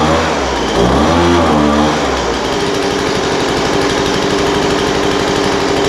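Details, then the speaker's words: Poulan Pro 200 mph two-stroke leaf blower, received as a non-runner, after carburetor adjustment: idle mixture leaned out from too rich and top end tuned. Settles from a few revs into a steady, even buzzing idle with no hunting or sputter; normal idle. "yeah that sounds pretty good um carburetor needed just a little bit of adjustment the idle mixture was too rich so I leaned that out a little bit"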